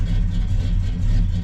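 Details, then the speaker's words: 1987 El Camino SS V8 just started with starter fluid, accelerator pump not working, old fuel in tank: deep even rumble with no ticking or missing beats; smooth, normal idle. "But if you listen, she sounds really good under there. There's no tacking, no strange noises, just smooth as silk."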